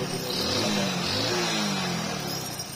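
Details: Small single-cylinder motorcycle after cleaning and refitting the spark plug, previously missing, losing mileage and blowing black smoke: settles from a short blip into a steady, even beat with no missing or stumbling; running normally.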